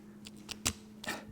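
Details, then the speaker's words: Mercedes ignition steering lock sent in for rebuild, microphone held close: the key is sticky and notchy going in, and turning it gives scratchy, gritty clicks and rasps in short bursts; worn ignition lock tumbler that needs rebuilding before it jams. "and it's very notchy when it goes in and when you turn it you can hear all that noise in the lock"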